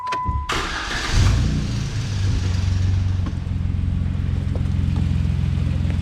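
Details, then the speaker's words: Car exhaust at idle after a temporary clamp-and-strap repair: a deep, loud, raspy rumble. Owner suspects exhaust is escaping through a hole in the muffler. "That sounds like it might actually be coming from the muffler again. Well, half of it, because we got a hole in the muffler."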